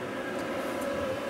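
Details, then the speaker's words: Vehicle heater blower motor after fitting Japanese EZO 625Z (5x16x5 mm) bearings: steady even whir with constant mid-pitched hum, no knock or rattle; plain fan-running note, earlier diesel-like vibration gone. "it does just sound like a fan running note which is what you want"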